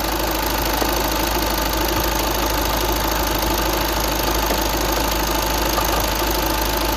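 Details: 2009 VW Tiguan 5N at idle: a steady, fairly quick knocking, about three a second, over the engine drone. Engine knocking, source unclear.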